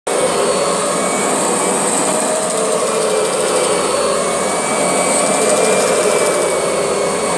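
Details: Kirby G6 vacuum: loud steady roar with a thin high whine over it, unchanging; strange running noise, cause unclear.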